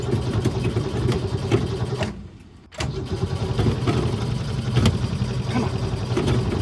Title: AirMax Hard Start